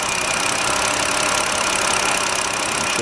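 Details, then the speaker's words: 2009 BMW 5-series at idle with a bad ignition coil: uneven, slightly stumbling beat with occasional dips in the rhythm; misfire shown as signal drop-outs on the scope chart. "I basically going on chart mood and will see it staying pretty consistently high and there was a little miss that little drop off it there will hear the engine kind of miss"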